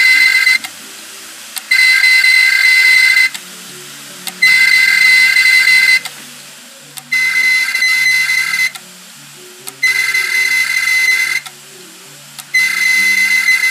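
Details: About two-year-old Seagate Barracuda 1.5TB 7200 RPM hard drive, which had started clicking, powered on with its cover removed, giving shrill screeching bursts roughly every 2.5 seconds; the data is likely lost.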